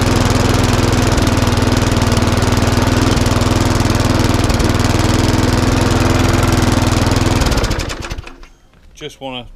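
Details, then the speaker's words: Lawn mower that ran very slowly and would not stop, after a full service and micro switch fix, fresh fuel, running outside: steady, even drone at constant speed for seven seconds, then winds down and stops; the stop now works and it runs cleanly. "Okay, so that little lawn mower is now up and running exactly how it should be."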